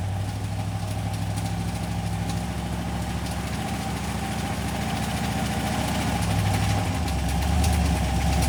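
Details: Cheap LS 4.8 LR4 V8 idling on a run stand, slow to start, vibration loosening exhaust: quick steady knock about three a second from inside; owner suspects a lifter coming apart, possibly a piston letting go; worsens with revving.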